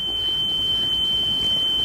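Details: Sony Walkman WM-EX610 after belt replacement, playing a test tone for a flutter meter: one clean steady high tone, no wavering or flutter; tape speed stable, much better than before.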